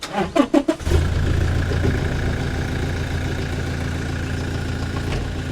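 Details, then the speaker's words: Toyota Revo diesel after repairing one injector that would not hold pressure (white smoke, rough misfire at high rpm): quick crank into a steady, even idle with no knocking. "อ่าเครื่องเดินนิ่งปกตินะครับ"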